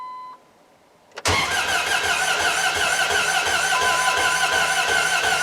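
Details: Dodge Ram 1500 with replacement 4.7 HO engine from a Jeep, after a flood-out stall: even, slow cranking about 153–203 rpm, even with another starter, with no firing and no uneven compression beats; camshaft not turning.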